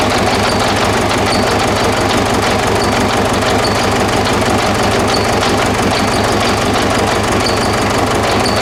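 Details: 2009–2010 Ford Ranger (Mazda BT-50) 3.0 L common-rail turbo diesel, started on external fuel spray: rough idle clatter with an uneven lope; misfire from faulty number 1 injector; rail pressure about 38 MPa while running.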